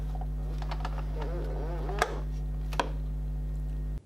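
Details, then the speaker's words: Reassembled Hoselink hose reel flipped over with the drum rotated by hand: a few light clicks over a steady low hum as the locking pin catches normally while the drum spins. "Flip the hose reel over and rotate the drum. Listen for the click of the locking pin as it spins."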